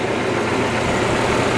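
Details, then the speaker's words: 1998 Ford Ranger, after replacing one clogged fuel injector (four spray holes blocked) that caused a rough idle: smooth, even idle with steady low hum, no stumble or miss; sounding really good through the pipe. "and sounds like it's going to make a good one now that we got the injector changed. It's sounding really good throughout the pipe."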